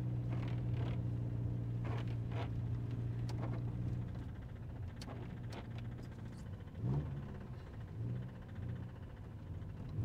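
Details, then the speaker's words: Cheap Toyota MR2 at idle: a rough, low rumble with a dull, irregular knock at idle and low rpm that goes away when given gas. The engine leaves an oil trail and the knock is getting worse; the owner suspects it is chewing up a bearing again. "Weird, when I give it gas, the knock goes away, but when it's like idling or lower RPM, you can hear it knocking."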